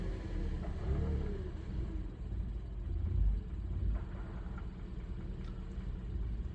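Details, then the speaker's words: 2012 Hyundai Accent 1.6L petrol, warmed up, codes P2187/P2191 (lean), rough idle and chugging. Revving makes the revs swell and sag unevenly with shaking. Owner suspects carboned-up valves and plans to check vacuum leaks. Later fixed with SeaFoam and electronic throttle body cleaning. "Yeah, she's definitely not happy when you do that. She's jumping around a little bit. But like I said, I think it's just the carboned up valves."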